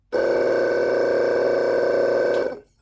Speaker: Okay, so that tells me that the motor is good.